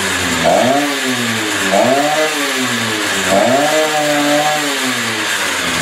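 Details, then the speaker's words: Stihl TS350 two-stroke saw, first cold start after engine rebuild at about minus 30, air cleaner and filter not yet fitted: three quick blips, each pausing briefly before climbing; it revs up fine but has a slight bog on acceleration; carb adjustments on hold. "I could continue playing with the carburetor but right now it seems rev up fine has a little bit of a bog stale uh but I'm not going to do any more adjustments till I get the air cleaner on and the air filter"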